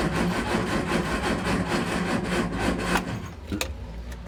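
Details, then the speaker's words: Triumph Spitfire MK3 under restoration, cranking; fuel is present and plugs are wet. Rhythmic starter churning about four beats per second with an occasional firing bang, then it stops without catching. "i've i heard that thing then fired i think i've ever flooded it or but to hear that combustion bang that was good"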